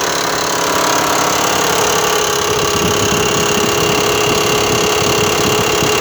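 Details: Mitsubishi Pajero 4 3.0 idling after sitting in the parking lot, with a light, fairly quick knock about four per second over the engine hum; cause not yet identified.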